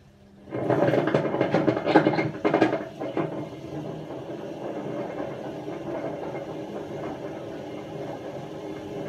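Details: Hotpoint First Edition FEW12 washing machine left outside for months, on spin without water: drum winds up with a loud uneven rumble and clatter, not running straight or fast, pump audible, then a harsh steady roar; badly worn drum bearings.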